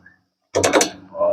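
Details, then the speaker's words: Toyota Innova rear brake caliper rocked by hand: short burst of sharp metallic clacks, rattling over bumps because upper and lower caliper slide pin bolts were fitted incorrectly; noise persisted six months despite ball joint, rack end, bushing replacements. "Jadi kalau kena gonjangan teman-teman kaliper ini dia bunyi karena pemasangan dari baut pen kaliper atau sliding kaliper bagian atas ini sama bawah sini itu dia enggak benar"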